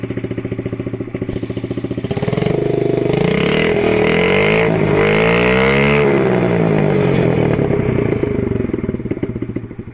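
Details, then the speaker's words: 2003 Honda CRF50 dump find, on the stand without a rear wheel: revs climb and hold, then take 5 to 10 seconds to sag back to idle; owner suspects a vacuum leak or lack of load. "I'll show you what I mean with the like high revving. Revs up for like 5 to 10 seconds until it comes back down to idle."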